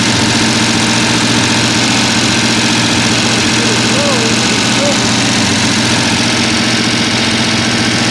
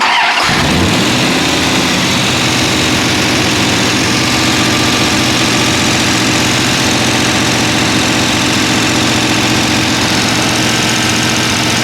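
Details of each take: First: Mostly stock rebuilt Mopar 383 V8, timing set, running on the stand while checking that the lifters turn: loud, fast, even drone at raised idle with constant busy clatter. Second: Mopar 383 V8, mostly stock rebuild with timing set, catches at once into a loud, steady, even open-header idle with no knocks while checking lifter rotation; normal start and idle.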